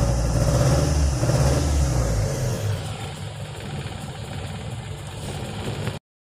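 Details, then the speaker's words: Toyota Corona that would not start despite good fuel pressure, now with a borrowed ECU fitted, confirming the original computer box is faulty: engine picks up strongly and settles to a smooth, even idle with no misfire; running properly. "Diba? Start agad. Ibig sabihin, sira nga yung computer box natin isa."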